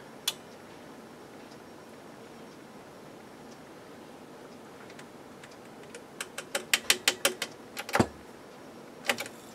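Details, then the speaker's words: Akai AM-2800 integrated amplifier: quiet hum broken by sharp, irregular snaps and crackles as the faulty power switch arcs inside when turned on; the switch is to be replaced, and the protection relay is also suspected weak. "another problem this thing has is the power switch is kaput because sometimes when you turn it on you can hear it arcing inside and that's really a bad situation to be in our switch is arcing can you hear it"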